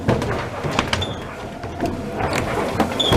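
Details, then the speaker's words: La Motte watermill running after the pit-wheel was moved away from the pinion and a new neck-bearing was fitted: uneven wooden clunks as the gears mesh roughly because of worn cogs and lantern pinion rungs, which are due for replacement; it still runs far better than before. "The running will definitely be improved if we replace the cogs and rungs on the lantern pinion."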